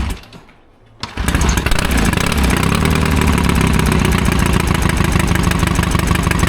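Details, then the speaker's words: 1972 Triumph Bonneville 650 twin that sat roughly ten years; after the choke was set the wrong way it catches with an uneven, lumpy beat, suspected to be running on only one cylinder. Its plugs were found pretty black and B8ES replacements were sought. "It doesn't sound like two to me. Might not be two, might only be one. I'm thinking it's one."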